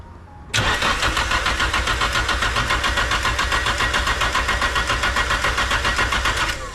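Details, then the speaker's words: Nissan S15 SR20DET after VVT sprocket replacement to cure VVT rattle, timing marks lined up: catches within a second of cranking, settles into steady even idle with no rattle or knock; sounds healthy. "yeah sounds sweet man I'm happy with that"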